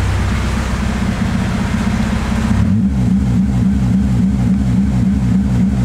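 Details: Integra with a Ktuned throttle body, idle air control valve removed, holes plugged and throttle body cracked slightly open: revs hunt about three surges a second with no part-throttle response. Owner suspects a bad TPS.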